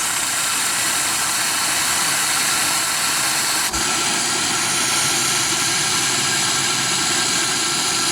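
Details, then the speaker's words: Soule steam engine, basket case, first run in years on about 20 psi steam after failing on air, reversed: loud continuous steam hiss with faint uneven chuffs; valves bypassing badly. "See, it's bypassing bad, but we might be able to get it to start running."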